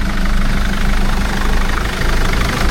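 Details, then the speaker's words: Engine just started and left to idle to get oil round, oil seen dripping underneath: loud idle with a rough, puffing low-end pulse over the clatter, described as a chuffing injector; cause unconfirmed. "We'll have to listen to Dean's chuffing injector."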